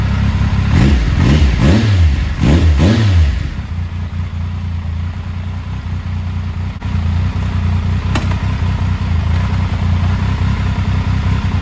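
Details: 2000 Triumph Sprint ST 955, first start in 24 years after being wrecked new and stored in a barn, with a cleaned fuel pump and new fuel hoses: several quick throttle blips rise and fall cleanly, then it settles to a steady idle; running normally.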